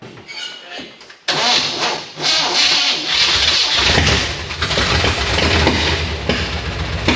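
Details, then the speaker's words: Truck (K20) first fired after sheet metal install, run on a little gasoline down the throat with a booster pack: engine cranks and catches, then runs rough with loud irregular pops and bangs, backfiring heavily on startup. "That's good news. It runs and it backfires like a bastard."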